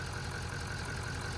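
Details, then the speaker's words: LML Duramax diesel after fuel filter housing replacement, running after a brake-cleaner-assisted start: steady, even idle with a low thrum, no knocks or stumbles; repair worked, running normally. "So, the fuel filter housing worked. We're good. It's running."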